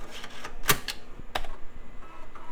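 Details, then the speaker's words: Early-2000s Compaq/HP bubble PC on first test boot: the floppy drive gives sharp dry clicks and ticks as it seeks normally and boots DOS, with a CMOS error because the old battery was completely dead. Normal floppy boot read. "and we already got a floppy seek and of course got a CMOS error that old battery was completely dead well let's see if it boosts the dos"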